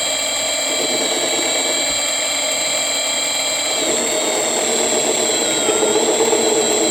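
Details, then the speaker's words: Sieg mini lathe, first facing cut with indexable carbide tip around 300 RPM on low range: steady high motor whine with cutting chatter, pitch sags midway as tool bites; motor loading down under cut. "You guys can probably hear it loading down."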